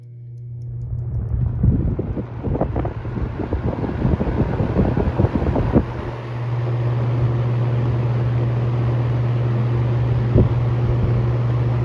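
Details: Vintage shaded-pole box fan after varnishing, on medium: comes up to speed with some rustling, then a steady even hum without buzz, grinding or clicking; the racket it used to make is gone.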